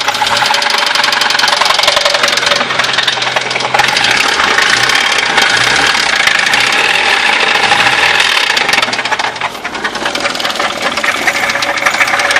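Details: Audi 80 B4 engine running: fast, uneven metallic tapping over a harsh, rattly background, an internal engine knock, source not pinned down.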